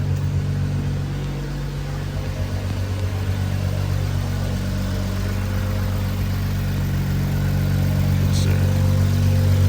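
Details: Infiniti Q50/Q60 after installing an AMS low-pressure fuel pump, pump primed and car started: smooth, even low idle with a steady rumble and no knocks, misses or whine; engine running normally.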